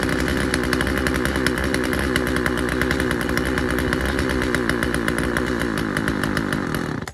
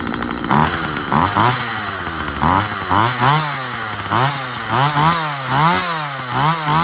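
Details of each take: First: Husqvarna 136 chainsaw, first start: high buzzy two-stroke at a ragged, slightly hunting pitch; the low-speed carburetor mixture needs a slight adjustment. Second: Husqvarna 136 chainsaw after carburetor cleaning and adjustment: two-stroke buzz rises and sags repeatedly as the chain bites and clears the wood, revving cleanly and recovering; normal cutting.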